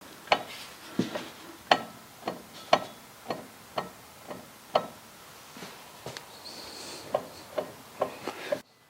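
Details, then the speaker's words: BMW Z3 (E36) rear driveline, driveshaft blocked while one rear wheel is rocked by hand and the other held: irregular single clunks and knocks about once a second from the differential, pointing to excessive diff backlash causing clunking when shifting. "well that's certainly a lot of noise in the diff that's a lot of noise in the diff without the shaft rotating so i think the diff probably has a way too much backlash"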